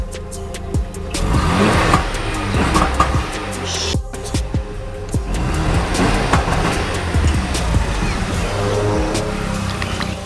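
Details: Mazda RX7 FD Type RS, warmed up, with new plugs, intercooler pipe fix, MAP sensor swap and AC belt removed: revs up but stumbles and breaks up unevenly, misfiring under full throttle; flashing code 34, idle air solenoid suspected.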